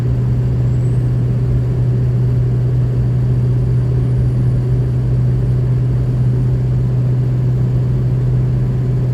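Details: 2003 Ford F350 6.0 Powerstroke after replacing the left Y-pipe-to-turbo V-clamp, exhaust leak fixed: steady, deep, even diesel idle drone with no ticking or puffing; no more overboost or power loss.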